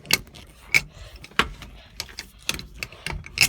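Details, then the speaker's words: Old International being restored, engine off: sharp, uneven clicks, about one or two a second, as the shift lever is worked and won't go into gear; something inside is clicking, cause unclear. "feel like there's a problem with this. Here, you can hear something clicking."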